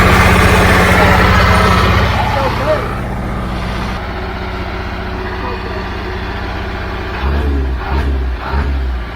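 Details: Old Caterpillar diesel, which previously had trouble even cranking, now starts after bleeding air from the fuel lines; it knocks over at a steady, regular idle, settling lower after a few seconds with occasional throttle blips.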